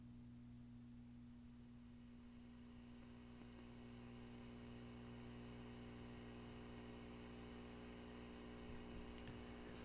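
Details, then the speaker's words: Fender Super Champ XD tube amp, mic close, after swapping the Fender 12AX7 preamp tube, tubes warmed, nothing played: steady low hum with faint hiss persists; cause unknown, speaker or capacitors suspected. "so unfortunately the sound is still there so I am not sure what the deal is so the next thing is to check would be the speaker or maybe it's an issue with capacitors or"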